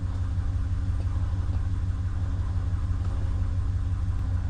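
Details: 2019 Ram 1500 that had a no-start with no power, now running after a suspected shorted capacitor was removed and cleaned up: smooth, even low rumble at steady idle, no misses, knocks or ticks; normal idle.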